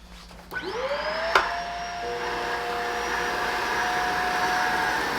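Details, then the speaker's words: Shark vacuum after picking up about three cups of baking soda: motor whine sags and labours as airflow chokes, with baking soda coming out the filter; clogged filter straining the motor. "she's really struggling now and now the baking soda is coming out the filter"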